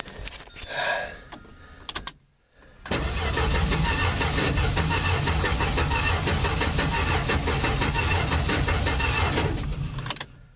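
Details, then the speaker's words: Plymouth Valiant engine of unknown condition, first start attempt: even cranking about three beats a second for seven seconds, never catches; no ignition spark. "that sounds like no ignition all right let get into the distributor"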